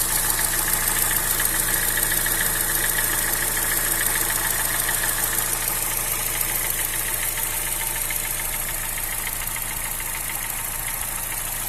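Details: 2007/2008 Honda Fit 1.5 VTEC CVT at idle, no oil or coolant loss; valves adjusted twice without effect, not the AC compressor bearing; noise stops when very hot, in gear or with AC on: quick even tick about three per second, cause unconfirmed.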